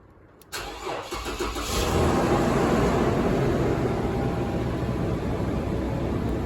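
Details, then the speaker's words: Toyota 1GR V6 petrol engine, 294,000 km, cold start after sitting two weeks: starter whirrs briefly, catches within a second and settles into a fast, smooth, even cold idle running rich by design, with no knocks or ticks; normal. "You'll notice when you start the engine, see the RPM set up higher. It is actually running rich."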